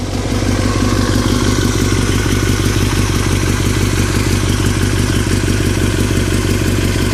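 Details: 2003 Yamaha R6, rattling since a recent trip to Europe: loud, busy metallic clatter in a steady quick rhythm over the engine; owner unsure if normal or if performance is affected; engine rattle, source unknown.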